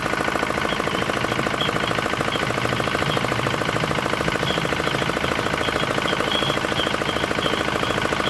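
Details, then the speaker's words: D10 R190 single-cylinder diesel after repair of hard starting and a horn-like chirping noise behind the rear cover; now starts easily and runs crisp. Evenly spaced sharp beat, no misses or knocking. "Máy nổ rất là dễ và rất là là giòn kiểu như các bạn như thế là được rồi đấy"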